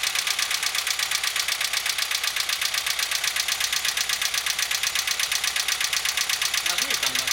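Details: Engine knock with dieseling: sharp metallic ticking at about 160 per minute rides steadily over the idle; the rocker arms turned out to be the culprit.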